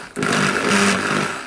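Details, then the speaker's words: Makita HR2450FT rotary hammer that smoked after non-genuine carbon brushes were fitted: motor whirs in short sluggish bursts and spins slowly, never reaching a crisp high pitch. Burnt armature. "we came here from the sun's and see how slow it spins that it's a problem somewhere in the motor"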